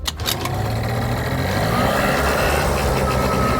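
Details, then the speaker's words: Cheap project two-stroke scooter after carburetor fiddling, kick-started: unsteady buzz wavering up and down instead of a steady idle; erratic running, owner suspects too lean on throttle. "It's kind of all over the place. So, what I'm going to do now is take out this throttle because I think it's too lean when we give it throttle, and that's why it's what"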